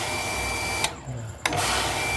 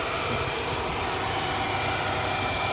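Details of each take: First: Hitachi household water pump after its plastic air-feed tube was replaced: the motor hums, cuts out about half a second, then restarts, continually cycling on and off. Suspected air in the system, needing bleeding at the check valve and refilling with water. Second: Hitachi household water pump that kept cutting in and out, after a new plastic air supply pipe and re-priming with water to purge air: smooth, even hum with a steady whirr, no surging or cycling; running normally.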